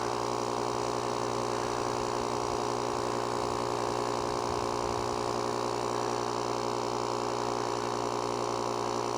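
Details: JOMGAND JQP3750 jump starter's built-in tire inflator set to 20 PSI, filling a tire; even, steady buzzing drone with constant pitch, no knocks or surges, tire rising quickly; normal operation.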